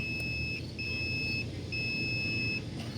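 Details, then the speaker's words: Multimeter continuity test: clear, high, steady beep in bursts, the normal tone when probes are connected; a reference for the beep the old part failed to produce despite showing a reading. "so the sound we should be hearing if these two things were connected is this"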